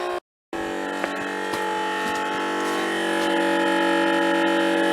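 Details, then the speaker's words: Old 12 V electric water pump filling a barrel, battery at 12.27 V: strained steady whine slowly growing louder, pump labouring and filling slowly; either the old pump or the weak battery is dying, unconfirmed. "Wow. Wow. Sounds like one of them's dying. I just don't know which one."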